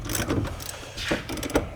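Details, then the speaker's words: 2011 Mazda CX-9 power window motor: irregular bursts of ratcheting clicks and grinding as the gear, probably stripped, skips instead of driving the window. "So that sound we're hearing is probably that gear just shifting through there Stripping It's out. stripping and it. not catching it."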